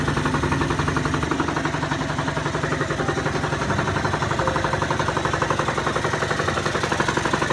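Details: Genuine Scooters Roughhouse RH50 two-stroke, cold at 26–30°F after a top-end rebuild (new cylinder, head, piston, rod, bearings, gaskets), not yet broken in: steady idle with an even, quick beat and no surging or stalling; running cleanly.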